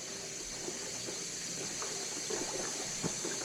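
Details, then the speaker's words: 2012 York boiler, model PVCG60ANI-TS, 12 years without service, during repairs for a leaking relief valve caused by a failed expansion tank. Rushing water with irregular spits, pops and gurgles as the line purges; the second zone suspected to have air. "I think the second zone has air."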